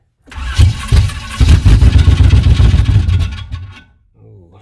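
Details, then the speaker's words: 1994 Chevy C1500 Silverado 4x4, small-block V8, first start attempt with gas poured in the carb bowls: uneven, labouring crank with irregular low churning bursts that never catch; starter sounds bad. "starter sounds bad"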